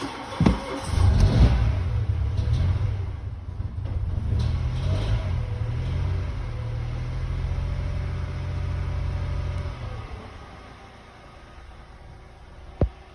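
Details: High-mileage 2017 Mitsubishi Mirage idling after a flooded no-start was cleared using the fuel pump fuse: a steady, low, even hum that settles and holds with no misses or knocks. It idles smoothly.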